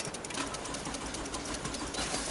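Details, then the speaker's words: Toyota Camry V70 that starts and then stalls: rapid, thin, steady relay clicking, several per second, from the alarm immobilizer radio relay. This failed relay is the cause; the car ran fine once the relay and alarm unit were disconnected. "И вот она там цокает я тебе покажу где вот э Люха щёлкает Сейчас покажу тебе Ага А всё вот она вот эта [ __ ] щёлкает"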